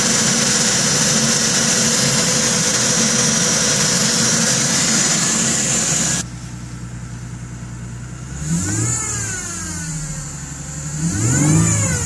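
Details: 2010 Ford Mustang V6, very cold after sitting many hours: a light metallic tick over the engine that gets louder and faster with rpm and fades as it warms; owner suspects lifters, not confirmed.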